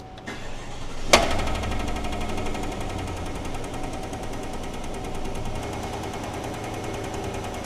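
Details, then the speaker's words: Chevy truck, dealer claimed it needed engine and transmission, plugs and wires already replaced; cranks and catches then settles into an uneven loping idle with regular skip, a dead misfire; cause unconfirmed, rocker arms or lifters suspected, compression test next. "It's still miss It's It's definitely misfiring. It's got a dead miss in it, dude."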